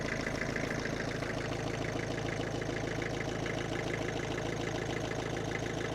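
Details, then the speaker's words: Land Rover Defender 110 after 10 years off the road, first start on a new battery with old faulty alternator suspected of not charging or overcharging: steady even diesel idle, regular low chug, no knocks or misses. "Oh, she's like a Swiss Ros Stevie."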